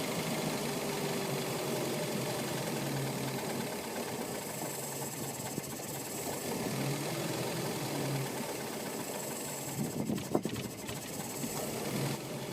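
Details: Yamaha F150 four-stroke outboard idling with a steady mid-pitched run, an uneven slightly knocking pulse and water noise. Rough idle; a spark plug change is the fix being tried, but the cause is not confirmed.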